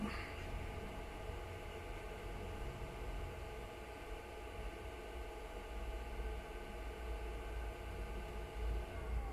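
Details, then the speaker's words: Diesel heater on a 2-blade icon controller in its shutdown sequence, case temperature falling; it switched off on reaching about 70°C. A steady, even fan hum at constant pitch with no rattle: a normal cool-down fan run-on. "but I think you'll find that the machine will shut down entirely when it gets to about 75° C"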